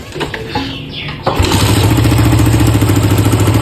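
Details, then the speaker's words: Suzuki Satria FU 150 test start before repair: starter whirr, then the single settles into a rough chuffing idle at about three pulses a second; leaking exhaust, plus a separate rattling noise. "Nah ini knalpotnya bocor ya. Knalpot bocor pertama."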